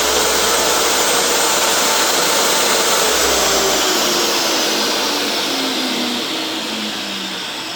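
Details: Restored used DeWalt DW744 job-site table saw, test run after cleanup: a steady high whir from the motor and blade, pitch easing slightly toward the end, with no rattle or knock. Healthy.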